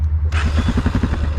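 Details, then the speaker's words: Honda XR650L the next day, after the factory cam decompression mechanism was refitted, cranked with the ignition off at around 40s°F with a slightly low battery: the single spins over quickly and evenly with soft regular puffs and no compression hang-up, so the decompressor is working. "Let's do a crank with the engine switch off. That's how it sounds. You can hear the decompression working properly."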